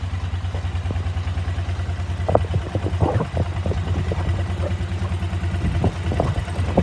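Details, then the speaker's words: KTM 950 V-twin, warmed up at idle, carb sync check: uneven loping beat around two pulses a second; airflow readings unequal between the two carburetors, so carbs are unbalanced. "so since we didn't have equal airflow readings that means the carburetors are not balanced"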